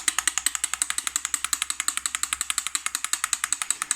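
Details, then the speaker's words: BMW 325ti M54B25 idle control valve, removed and shaken by hand: quick, crisp, even clacking about eight per second, moving freely where before it was seized, causing unstable idle and an EML warning. "Voilà. Et on sent quand je fais clac clac clac que c'est fluide. Moi il faisait plus clac clac clac. Il était complètement grippé si je puis dire."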